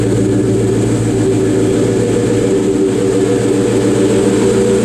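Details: Low-mileage 2003 Terminator Cobra supercharged V8 with new X-pipe and existing Flowmaster catback: deep steady burbling idle with even firing, no knocks or misses, smooth and healthy.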